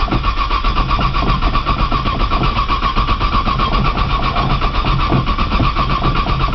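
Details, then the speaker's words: Cold 1995 Nissan Maxima, 210,000 miles, push-button start, in snow; hard to start cold, gas pedal lightly fluttered (floored it won't crank): long steady cranking at an even, fairly slow beat, never firing. Crank, no start when cold. "this thing takes forever to crank maybe somebody on the internet can um tell me why it's so hard to crank when it's cold"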